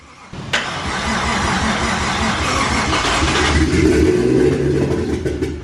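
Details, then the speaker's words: Freshly installed 1JZ engine, first start attempts with charging battery, fuel pouring out: long, laboring crank at roughly 220 beats a minute with uneven pulses, no clean catch; flooded cranking no-start. "oh look at all that fuel just come out"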